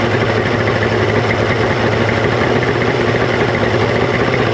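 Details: 1995 Mercury 200hp XR6 Blackmax outboard, about 30 years old, at idle after trigger removal and timing adjustment, with the idle stabilizer refitted; steady even two-stroke burble without misses or surging; normal idle.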